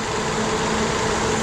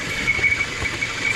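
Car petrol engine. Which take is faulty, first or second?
second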